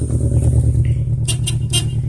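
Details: 2002 Toyota Corolla LE with a bad motor, 173,000 on the odometer, check engine light flashing: steady low idle drone with slightly lumpy, uneven note; engine misfire suspected.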